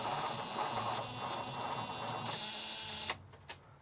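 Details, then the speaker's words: 1962 Ford C750 cabover truck, Y-block/FE with worn starter: sluggish uneven cranking at two to three turns a second, never starts; replacement battery has low charge, weak battery suspected, not confirmed. "not looking good that battery's got a lower charge than the last two"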